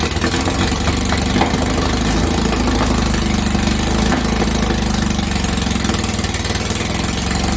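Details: 2332cc VW bug (Dust Buggy) after cleaning carbs and setting mixture screws: steady even idle, smooth low drone, no missing beats; normal idle.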